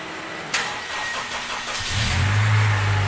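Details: Car with dead battery jump-started from a donor car via jumper cables, donor started first: quiet, a short crank, then the engine catches into a steady low idle; it starts and runs normally.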